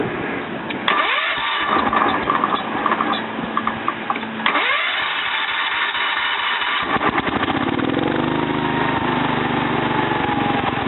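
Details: Kohler K241 single-cylinder on a Wheel Horse C-101 after head gasket, spark plug, points, coil, condenser and carburetor tune-up, not yet fully warm: cranks, catches and settles into a steady even putter; runs healthy.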